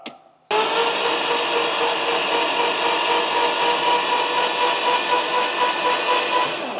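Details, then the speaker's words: Lamborghini Gallardo, long unused, cranked with spark plugs out while priming oil: steady high whirr with no compression beats, holding even speed. Oil pressure moves a bit and dirty oil starts returning to the dipstick. "did the oil pressure move yeah a bit a bit yeah I wouldn't say it went all the way to four no no it probably won't a crank in but as long as it's moving we got oil pressure we're good"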